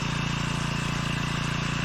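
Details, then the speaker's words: 4hp Hangkai single-cylinder petrol outboard restarting after carb run dry, fuel cock reopened: fast, even putter with no misses or knocks; running cleanly. "So that's it up, and again we can see the fuel line clearing out. You can hear the engine starting to go no"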